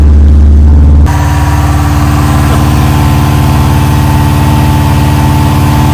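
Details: Subaru WRX with rebuilt engine first start after install, immobiliser locked/unlocked after no spark: engine catches and holds a steady even drone, no misfires, knocks or rattles; running properly.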